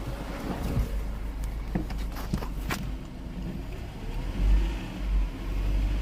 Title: Mercedes c180 first start after timing chain replacement #automobile